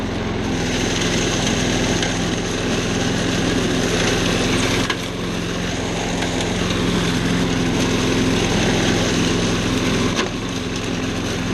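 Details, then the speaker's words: Old mower found in a trash pile, after carburetor cleaning: small single-cylinder engine holds a steady, even buzz with no misses, surging or knocking; runs normally. "fine turn it off okay works great"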